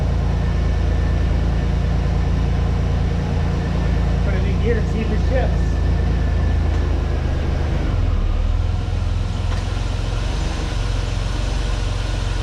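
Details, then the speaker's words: 1989 Pontiac Firebird 2.8 after fuel pump replacement, long-stored car with a rusty tank; pump running, injectors firing: low, steady idle with an even beat and no misses or knocks. Normal idle. "Fuel pump's running, the injectors are firing. And I would say this engine doesn't sound half bad."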